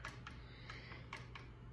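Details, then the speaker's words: 52-inch Redington ceiling fan running slow and sagging: sharp uneven clicks, about three a second, over a low steady motor hum; the clicking seems to come from inside the motor housing, cause unknown, not fixed. "i mean i know it's so similar to a quicker neck but the thing is though it's saggy it's slow and it just clicks a lot"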